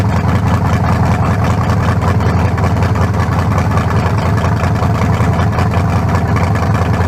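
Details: Newly built lower-compression turbo engine for a 1974 Nova, 40 over, forged pistons, 3.48 stroke, just fired: deep even V8 burble at steady idle, no misses, knocks or ticks; healthy, better than the failed 388.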